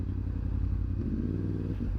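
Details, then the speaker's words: Yamaha R1 after replacing all four ignition coils, charging the battery, topping up coolant and checking the oil: smooth, steady fast-idle burble holding consistently at 1300–1500 rpm at 92 degrees, a normal idle. "as you can probably hear she's iding a little bit more higher I suppose you could call it she's iding at a consistent 13 to 1500 RPM"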